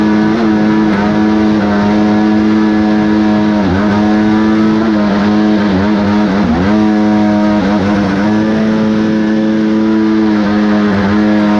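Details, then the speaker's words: Kawasaki 1100 triple two-stroke in a single-seat aluminum mini jet boat, compression raised: full-throttle wail stumbling and sagging in brief dips, breaking up with pinging or pre-detonation; squish or excessive compression suspected. "while here it's starting to break up I just let off the throttle cuz obviously don't want to hold her wide when you hear it kind of pinging or pre detonating"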